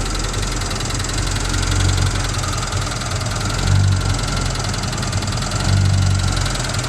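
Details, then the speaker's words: Restored 1978 Chevy K5 Blazer, 350 crate V8 with Holley Sniper fuel injection still self-tuning, small cam, TH350: a deep, choppy idle with a slow rolling lope swelling about every two seconds; healthy and running flawlessly. "salty this is a very nice one of the nicest square body blazers that you're going to find anywhere"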